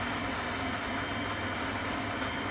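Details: Worcester-Bosch combi boiler after repair of an intermittent H09 fault that left no hot water or heating: steady, even rush of burner and pump with no knocks, rattles or cutting out; running normally.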